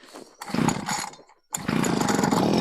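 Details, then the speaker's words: Healthy quick start of a two-stroke brush cutter. After a pull or two it catches at once and settles into a steady, even buzzing idle. Owner says it starts within 3–4 pulls at most. "ಕೆಲವ್ರದ್ದು ಸ್ಟಾರ್ಟೇ ಆಗಲ್ಲ. ನಮ್ದು ನೋಡಿ Max to Max 3 ಇಲ್ಲ 4 start ಆಗ್ಬಿಡುತ್ತೆ."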